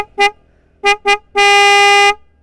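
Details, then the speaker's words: Yamaha Vixion motorcycle, single horn before the upgrade to two Denso snail horns on a 30 A relay: three short toots then a long blast in one loud, steady, bright tone; it works normally but sounds poor. "sebelumnya seperti ini ya guys suaranya. Jelek guys, kayak odong-odong."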